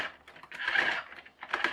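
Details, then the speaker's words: HL Toys RC bulldozer power scraper (HL 3058) with a 3D-printed replacement differential gear: bursts of light plastic clicks as wheels are turned by hand; the printed gear is slightly too small (about 0.5–1 mm in diameter), so it skips teeth. "Might have to print it again just a little bit bigger, because when I put this on and just turn the wheels, I can hear it clicking,"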